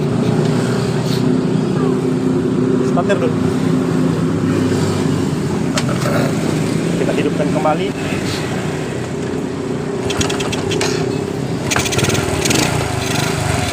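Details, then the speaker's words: Honda Supra engine in a modified Honda 70 frame, after fixing the cam-chain noise by refitting the tensioner primed with oil. Steady, even single-cylinder idle with a smooth low beat and the earlier cam-chain ticking gone. Normal idle. "jadi suara dari rantai kecilnya tadi sudah tidak ada ya teman-teman"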